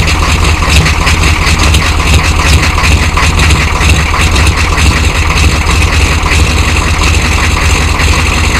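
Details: 1993 Chevy dually 6.5L turbo diesel 4x4, smoky startup without block heater, idling: loud, rough idle with a hard, fast clatter over a low throb; engine knock at idle of unclear cause.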